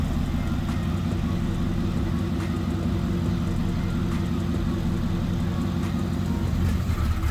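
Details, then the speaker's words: Turbocharged Town Car at first start after the build: fast, sharp puffing ticks over a deep, uneven idle from a passenger-side header leak, suspected pulled gasket, which also skewed the AFR readings. "fortunately I'm sure as you can hear we did in fact have a header lead on the passenger side at the time I thought of this gasket pulled it into that later"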